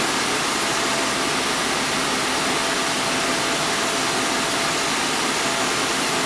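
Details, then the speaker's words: 2001 Audi A4 Quattro 2.8 L V6 at cold start after flex pipe repair, secondary air injection pump running normally; loud steady whooshing drone with a faint constant tone over the engine. "now remember this car has the secondary air injection system you can hear the pump running"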